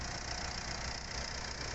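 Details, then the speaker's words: Mitsubishi Pajero Sport diesel after repair (steering shaft bearing, injectors, rocker cover gasket, timing belt, filters, turbo hose replaced): smooth even clatter with no knocks, misses or squeals; engine healthy, acceleration improved. "Oke sekarang kita coba untuk performa mesinnya Alhamdulillah sudah meningkat tariannya sudah enteng akselerasi nya dapet"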